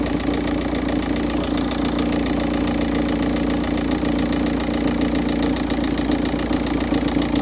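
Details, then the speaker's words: Volkswagen Touran 1.9 TDI, first-morning cold start at 13.2° engine temperature with cold, thick oil: a loud, hard, steady knock of about three bangs a second over the idle. "Okay, the oil is still cold and thicker, or it has a high viscosity. So as you may be able to hear the banging or knocking noise coming from the engine."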